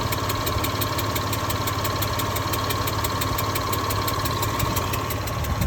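An idling engine with a fast, even, sharp tick, roughly eight a second, over a steady low rumble. Cause suspected, not confirmed.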